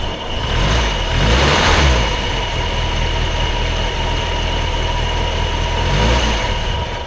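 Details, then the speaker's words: Triumph Herald Estate after carburettor swap, dashpot oiled, just started: uneven spluttery farting idle around four pulses a second; owner suspects still taking in too much fuel; rough idle. "it's still it's still a FY it's still f party I think it's still taking in too much fuel"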